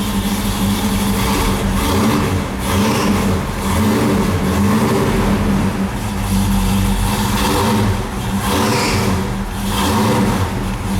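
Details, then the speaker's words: Oldsmobile Cutlass V8 engine swap blipped repeatedly, oil pressure about 50 psi at idle; brief high chirp-squeal on each sharp rev from belts slipping, owner suspects powder-coated pulleys. "got some belt slippage that I got to work on I think it's my powder-coated oles are just slipping on those belts"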